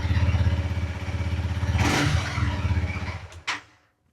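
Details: Honda CRF300L/CRF250L single-cylinder just started after fitting a FirePower Featherweight lithium battery: even, steady putter about three beats a second, no knocks or misses before switch-off; healthy idle.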